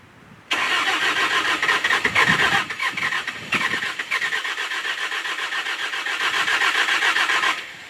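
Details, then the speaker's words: S530 skid steer cold start in snow: quick steady cranking about seven seconds without firing; owner suspects fuel a little frozen, needs priming, hand-squeezed primer not enough. "so close I think the fuel is a little Frozen or something so it's I could squeeze it prime it gets a little bit in there but not quite enough to turn it over"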